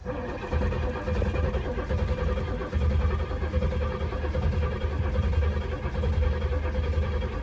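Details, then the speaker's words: 1967 Pontiac GTO V8 cranks without starting; Quadrajet float bowl cracked and empty, not enough fuel pumped in yet; faint sharp clicks are the ignition coil arcing at the back. "If you can hear that clicking noise, that's the coil arcing in the back. It didn't pump enough fuel in to fill the float bowl yet"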